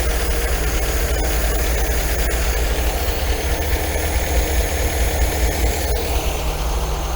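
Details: 1980 MGB four-cylinder with twin carbs, after timing and mixture-screw adjustment: an even, steady idle with a smooth low burble and no hunting or stumbling. Revs pick up and drop back gently; the mixture sounds right.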